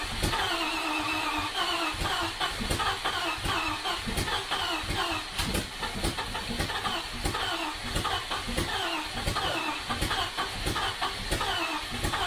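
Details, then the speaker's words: 1973 Range Rover V8 at first start after sitting, suspected flooded, fuel pump disconnected and throttle held open to clear it: uneven, lumpy firing bursts as it catches and stumbles, then picks up; exhaust leak also noted. "suspect it's flooded now unfortunately what I might do is just connect the fuel pump and run it with the throttle open for a minute"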